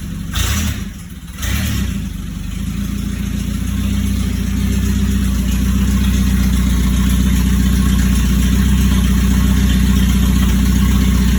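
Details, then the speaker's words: 1996 Chevy S-10 with 2.2 engine, first start after getting a battery and oil: deep, loud, raw drone settling into a steady idle with no muffling; sounds like the catalytic converter was cut off. "sounds like you done cut the cat off of"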